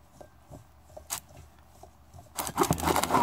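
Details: Rusty idler pulley bearing spun by hand: faint scattered clicks, then a loud, gritty, crunching rasp; rough idler pulley bearing.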